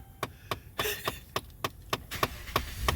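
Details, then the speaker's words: Dodge Ram 1500 with a Chrysler HVAC module plugged in, key on: sharp knocks about three times a second in an uneven rhythm behind the dash; recirculation door actuator acting up. "I was even able to find out that I got a recirc acting up on me."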